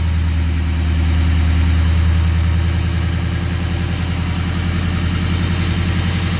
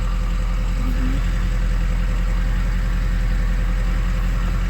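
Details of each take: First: 2003 Ford 6.0 Powerstroke diesel in Drive, FICM about 48 V, ICP 0.23, with misfire and erratic VGT: deep drone under load, thin turbo whistle climbing slowly; engine weak and super slow to build boost, FICM suspected weak. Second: 2003 Ford 6.0 Powerstroke diesel with a weak FICM (44–48 V) and earlier misfire, oil 70 degrees: deep even idle with steady low drone and no skips at this moment; weak boost and VGT bouncing noted, FICM on order.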